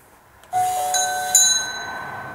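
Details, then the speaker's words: Mechanical doorbell driven by a Nest Hello, working after a diode was added and the bell enabled in the app: two clean bell strikes about a second apart, bright ringing tone fading evenly; chime works properly. "So please test your doorbell. And it works, great."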